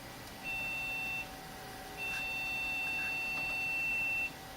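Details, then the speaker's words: PC refurbished in 2014, motherboard replaced late 2017, at power-on: three steady high-pitched beeps of about a second each; not posting because of one unhappy RAM stick; reseating the memory let it post. "okay apparently one sticks of RAM in this thing is not happy mm-hmm not posting"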